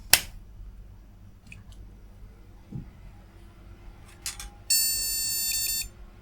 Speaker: so there's no graphics card but that continues